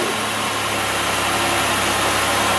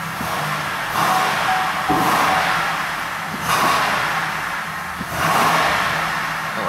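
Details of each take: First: Chevrolet Impala 3.5L V6 after battery charging, previously slow cranking and misfiring with codes P0118, P0335 and P0326: now steady, even, smooth idle hum with no misses or knocks. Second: Chevrolet Impala 3.5L, after long slow crank, idling unevenly with surging and dips about every second and a good shake: misfire; codes P0118, P0335, P0326, "Engine Hot A/C Disabled" message.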